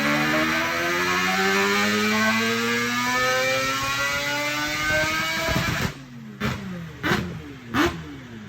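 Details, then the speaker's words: Four-rotor rotary-swapped Supra after fixing odd wiring so ignition accepts proper dwell time: smooth climbing high-rpm revs then quick even blips, crisp with no misfire, much cleaner up top; a fuel pump still appears not to cooperate, ECU compensating. "As you can hear, it sounds completely different up top. It sounds way cleaner, but unfortunately we still have another little thing going on with the fuel system that we're gonna address."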